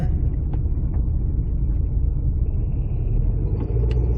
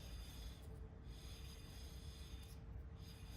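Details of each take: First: 2006-2012 Ford Fusion 2WD, rear wheel bearing almost totally shot: a loud, low, steady droning hum under road noise while cruising at speed, with no knocking. A less worn bearing makes the same noise, only quieter. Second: Spin test after rear wheel bearing replacement on a 2006-2012 Ford Fusion 2WD, caliper and pads reinstalled: quiet soft swishing rub rising and fading once per turn, rotor touching pad faces, no screech or grinding; normal, bearing fine.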